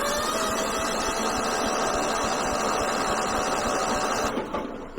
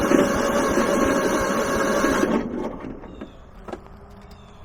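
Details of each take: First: Kohler 15 hp engine on a Husqvarna lawn tractor, battery charged 15 minutes from a running car: brisk, even cranking at about three and a half turns per second under starter whine, now near proper speed after earlier slow cranking. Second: Kohler 15 hp engine on a Husqvarna lawn tractor, cranking after starting fluid: starter spins engine evenly about two seconds with no firing, then drops away; no spark because the spark plug wire was left unplugged.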